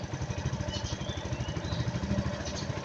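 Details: Suzuki Jelato scooter, owner's no-start complaint fixed, new battery at 13.1 V: even low putter at idle, steady beat, no misses.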